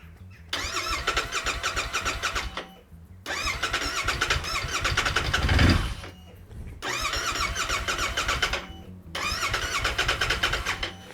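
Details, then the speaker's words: Royal Enfield Interceptor 650 after months standing, fresh fuel added and suspected water or bad fuel dried out: four fast, steady cranking bursts of several seconds each, engine never fires; cranks but will not start, cause unconfirmed. "yeah not so much let's let's try again with some starter spray"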